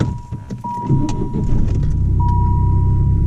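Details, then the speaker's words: Chrysler TC 16v under restoration, after swapping back the two center spark plug wires that had been switched; engine revs cleanly and settles to an even steady run, no stumble; runs smoothly after the fix. "it runs perfectly so it turns out that the two inner spark plug wires were switched the two center spark plug wires were switched around and I switched them"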